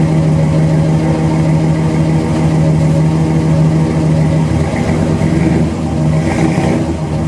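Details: 1977 Chevrolet C10 V8, rebuilt engine, restarted after sitting about two years: steady, even idle with a smooth low drone and no knocks or misses, so it is running normally.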